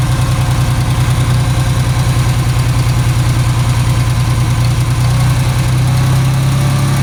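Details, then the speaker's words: Ford 3000 tractor three-cylinder after about 5 minutes running on two cylinders: low chugging idle around three beats a second, a little uneven, then fuller and steadier as the third cylinder kicks in and it runs on all 3; misfire clearing. "Hear it? There it goes. Now it runs on all 3."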